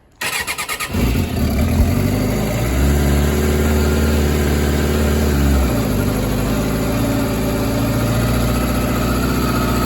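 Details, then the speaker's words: 2006 Suzuki GSX600F (K6) after carb refit for lost idle, engine warmed up: starter churns briefly, the four catches and settles into a steady, even idle with no misses or knocks; runs okay. "So the engine is warm up already. She runs okay."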